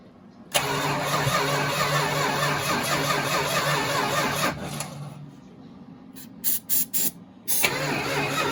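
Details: 1969 Dodge Charger 500 barn find, dormant 27 years, new plug wires and thermostat, gravity fuel feed: several seconds of steady cranking then short bursts, no catch or sustained running; cranking, no start.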